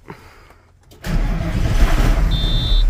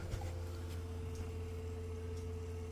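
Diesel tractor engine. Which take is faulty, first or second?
first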